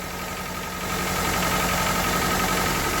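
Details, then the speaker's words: 1998 Honda Civic with a long-sitting replacement engine swapped in after a rod bearing failure, just after its first start: an even, steady idle with a soft regular beat of about four per second and no knock or miss; sounds healthy. "what do you know damn thing run sound okay oil is getting thrown"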